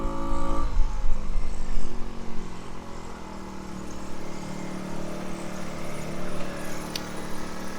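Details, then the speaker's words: Tao Tao 50cc scooter, bought broken and repaired: revs down off throttle but hangs at a fast busy idle when stopped, wanting to pull forward; idle set too high, owner says it needs tuning. "Oh, and it's still revving a little high when you come to a stop and wants to pull forward on you. So I think I just have to tune it a little bit."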